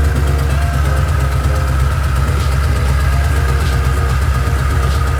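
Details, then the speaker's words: Mustang with a bone-stock two-valve V8, headers cut because they were welded without flanges: a steady, deep, loud idle with an uneven throbbing rumble and no muffling. Exhaust open right after the headers. "so we had to cut it so you're gonna hear that open header when I start it up"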